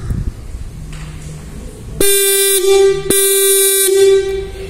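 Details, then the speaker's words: Bike electric horn with cover sheet removed and nut retightened, first tone variation: after a quiet start, two loud steady buzzing blasts with a sharp nasal tone; horn working with altered tone. "This is called number one sound There is a difference in voice."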